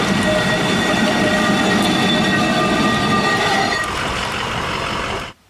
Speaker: yeah, that noise, stop whatever you're doing. Tow no further, because that noise is a very bad sign indeed.